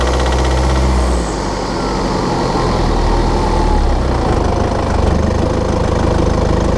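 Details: BMW F11/F10 520d 2013, N47 diesel: fast, uneven metallic rattle of about three to four beats a second, when cold and under load at 1500 rpm; a faulty injector, pinpointed by ISTA test.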